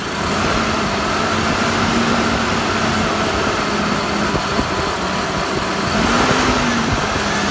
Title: 5VZ-FE Running rough after head gasket replacement